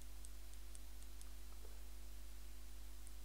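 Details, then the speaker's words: Computer mouse after repair and a product worked into the mechanism: crisp, sharp clicks a few per second over a low hum, each press snapping cleanly; the micro-switches work properly. "qu'on entend le clic, clic, c'est que les micro-interrupteurs fonctionnent."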